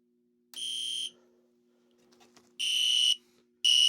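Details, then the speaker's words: Fire-Lite MP-12 panel powering Spectralert Classic horns, which register its full-wave rectified output as filtered DC: harsh, unevenly spaced half-second blasts sounding off from the usual tone; owner unsure why, wonders about a filtering capacitor. "notice how different that sounds but it doesn't make sense why this is what happens when a spectral classic fully registers fwr power"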